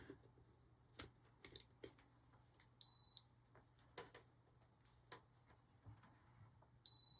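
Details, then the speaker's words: Arabian arcade game power supply after fitting a new LM305 and replacing the bottle cap transistor: a steady high beep comes twice, a few tenths of a second each, over faint clicks; meter still shows continuity across the regulator terminals, cause unconfirmed. "Yes, it's still [Music] beeping."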